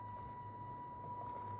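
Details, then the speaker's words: FMS Atlas 1/10 scale 4x4 RC crawler, 100% stock with 1040 ESC, on trail: thin steady high motor whine at fixed pitch over soft hum, pulse width modulation noise from the stock speed controller. "don't know if you'll be able to hear the wine of the motor that's called pulse width modulation and that's not something as far as I know that you can adjust on the 1040 ESC so that sound just kind of is what it is"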